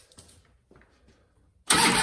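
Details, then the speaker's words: 1999 Harley-Davidson Ultra Classic with a failed ignition switch, bypassed with a jumper on the ignition wire: faint clicks, then the engine cranks and catches with a loud burst, a normal start. The switch is being replaced with part 71526-93B. "now I can start it kill switch still works"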